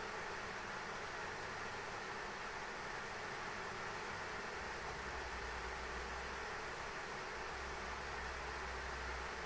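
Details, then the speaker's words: ASUS ROG Strix RTX 3090 graphics card fans stepped to 100% under benchmark load at about 77–79 °C; a loud, steady air rush drowning its coil whine, faint low hum: cooling fans at full speed. "Car's got some meaty coil whine, but the fans are so loud, you can't even hear the coil whine. So, you know. Yeah, this thing's just ramping up to 100% fan speed, man."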